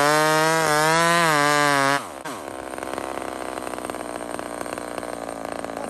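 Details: Homelite chainsaw, 28 full-house stock chain: steady high wail, a short blip, then a sudden drop to a ticking low idle; even two-stroke with no misfire, normal running.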